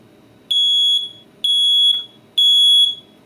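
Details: WizMart NB739B smoke alarm after repair of beeping every 30 s with new battery, faulty test switch replaced: three loud piercing beeps about a second apart on test, full alarm working normally.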